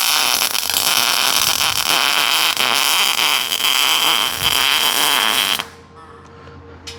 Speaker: know, they say, you know you're laying a good bead when it sounds like bacon frying, but when you do it without gloves, it smells like bacon frying.